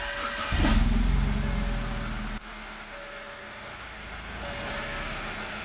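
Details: 2005 BMW E90 320i N46, after timing chain, oil pump chain and VANOS solenoid replacement: rev settling to an even idle with one VANOS solenoid unplugged, which smooths it; plugged in it idles rough. Cause undiagnosed. Rough idle.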